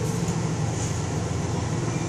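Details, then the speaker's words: 2001 Chevrolet C1500 with the 4.3L W engine, just after machine-shop cylinder head work for a bent exhaust valve misfire, not yet fully warm: steady, even idle with no skipping and no engine light. Good oil pressure; runs smooth. "well got it done purring like a kitten no skipping no engine light no nothing she's done running good too i mean it's smooth no engine lights nothing"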